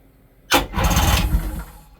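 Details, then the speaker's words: 1996 Sea-Doo Speedster twin engines after MPEM removal and rewiring, testing starter buttons on starboard then port engine; sharp engagement then about a second of steady even cranking, no grinding, starters working normally. "Cranks up. Port engine. Cranks up. Nice."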